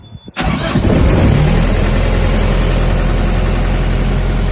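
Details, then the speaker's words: Diesel reefer unit on a semi trailer during pre-trip inspection: cranks, catches within a second and settles into a steady, even low rumble with no knocks; normal start and run. "We have verified that the Reaper unit does run as it's running. You're going to let it run for a little while until you notice this big temperature number is going down."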